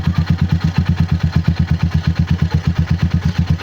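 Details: RC250 with 34,000 on the odometer that won't start on push button, started by jumping the starter relay, original battery: even idle thump about seven beats a second, steady with no stumbles or clatter; idling normally.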